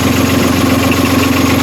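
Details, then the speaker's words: Sailing catamaran's diesel engine idling after a complete failure that was traced to a wiring fault and fixed: a steady, even idle with a smooth beat and no misses or knocks. It is running normally. "so we got the engine working it was wiring and"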